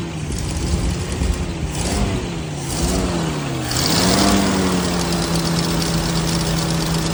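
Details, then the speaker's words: 1979 Jeep CJ5 just started after sitting since 2019, running on old fuel suspected in tank, smells terrible: engine speed surges and sags every second or so, never settling; running poorly; rough idle. "give it a idle wow this thing smells terrible"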